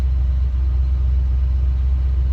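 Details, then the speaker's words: Ford 400 V8 (low compression), timing far advanced where it likes to run; warm idle is a deep, even rumble with a steady beat and no spark knock or ping, engine healthy. "See, there ain't no spark knocker or nothing. That's just where this engine likes to run."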